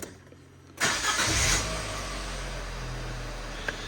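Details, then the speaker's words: Cheap flip project, starter whirs and engine cranks steadily for a few seconds but won't catch; owner notes no power, possibly from sitting, and plans a new starter motor if it recurs, as it was the fault before. "we will be doing a new starter motor because that was what it was before"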